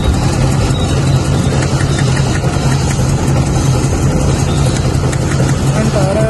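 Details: Toyota 1RZ petrol engine idling rough and uneven with cylinder 4 dead; plugs new, spark present, tappets fine; cause found to be a cracked/broken valve on cylinder 4 letting air leak.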